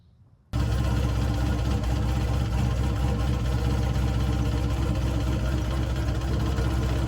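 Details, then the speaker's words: 4th-gen Camaro restarted in the pits after a street-car drag pass: deep, heavy knock about four per second under the idle, first suspected as a torque converter bolt or lifter; chunks fell from the oil pan, and it was a bent connecting rod. "so at first I thought you know hey maybe it's a torque converter bolt or maybe it's a lifter um it sounded pretty low"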